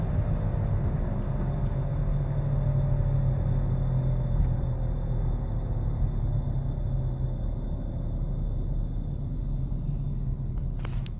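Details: 2013 Nissan Altima, heard while cruising: deep, even low hum under road noise that changes pitch with speed; at first said not to be a wheel bearing, later confirmed a worn wheel bearing.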